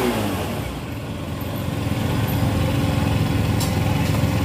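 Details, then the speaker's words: Yamaha Soul GT 125 scooter, previously hesitating, bogging and lacking power, after cleaning the dirty injector with carb cleaner: engine revs up smoothly and evenly with no stumble or misfire, clean free throttle response; normal revving. "disini gasnya pun itu sudah plong dan enggak ada sendat ataupun brebet brebet nya lagi"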